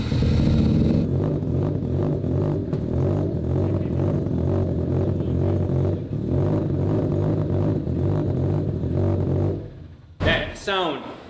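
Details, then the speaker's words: Mazda rotary engine swapped into a Corvette, first start with only a two-foot resonator (3.5 in pipe, 5 in body) fitted: rapid, buzzy exhaust pulses rising with throttle blips, clean and healthy, not over-resonated or droning; normal rotary exhaust note. "is incredible. It's a very healthy sound. It's not over resonated like the FC. The three rotor is even more so. That sounded just clean."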